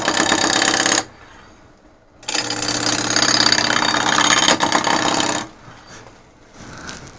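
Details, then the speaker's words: Lathe at about 1000 rpm roughing a large dry ambrosia maple blank: rough, fast rattling bursts during each cut, stopping between passes. The tool chatters because its shaft is loose in the handle. "hey that's something that was weird hang on a second tool shaft is loose in the tool handle can't have that"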